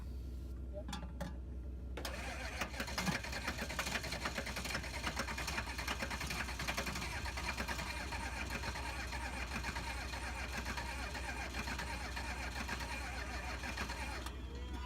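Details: 1986 GMC dually 6.2L diesel, sitting over two years and rewired: starter grinds steadily about twelve seconds with no catch or firing; hard start.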